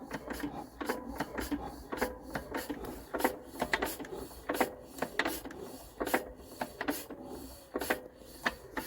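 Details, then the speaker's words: Lister CS stationary diesel, first start in years, shutting down decompressed: slow, even mechanical clatter of valves and gears turning over without firing; normal decompressed run-down. "Now let's decompress her so she just listen to that lovely mechanical decompressed sound."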